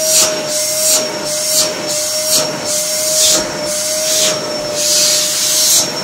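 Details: 1800 W Samsung SC4740 canister vacuum after repair (motor likely burned out from construction dust), reassembled with filters fitted: a steady, high, airy rush with a clean tone that swells slightly as the hose moves; normal running.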